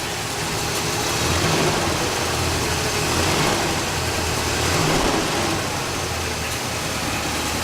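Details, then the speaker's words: El Camino started after 15 years sitting, on fresh gas, old oil and coolant not yet changed: smooth, steady idle swells gently with a couple of light revs and settles evenly; engine sounds healthy, fan belt slightly wobbly. "I just want to show you guys that this thing still runs. So yeah, looks good."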